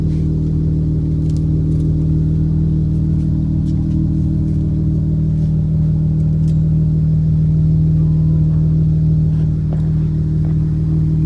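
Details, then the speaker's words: Chrysler 3.6L Pentastar V6 (Dodge Charger) after the ticking-noise fix: smooth, steady engine hum with no ticking or tapping; sounds healthy. "That sounds good too."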